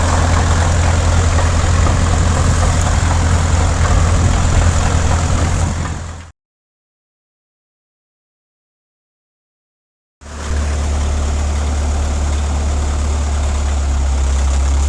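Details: 1950s Caterpillar D4 diesel, sat at least 20 years before revival: deep, even thrum at about 214 beats a minute with no knocks or misses. Runs really good; normal diesel running.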